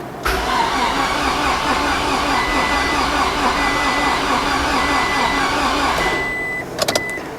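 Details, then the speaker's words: Flood-damaged Scion tC, battery disconnected a long time: starter cranks evenly about six seconds with a chime ticking, engine never fires after it first tried then stopped; checking the fuel rail for fuel. "Of course, it's not going to be that easy. Uh, it tried it first and then it stopped."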